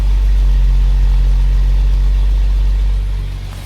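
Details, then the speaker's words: Jaguar XJ-S V12 HE at idle, heard at the right-hand tailpipe after the cheaply repaired exhaust was re-jointed: a deep steady rumble with an uneven drone underneath. Owner suspects revving to 5,500 rpm blew a rear silencer. Exhaust drone. "there is a slight bit of a drone underneath but you can definitely hear it"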